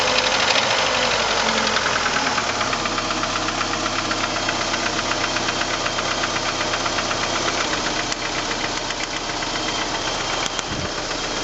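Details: 1989 PGT engine running: regular knock about four times a second over the run; owner suspects rod knock, not confirmed.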